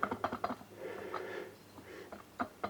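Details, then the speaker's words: DWT BFS 4342 brush cutter, 42.7 cc two-stroke, reported not starting; crankshaft rocked by hand gives sharp dry clacks, radial play rather than axial, from worn crankshaft main bearings; crankshaft, bearings, seals and carburetor replaced. "вот это вот что у нас слышно Вот это так коленвал прыгать"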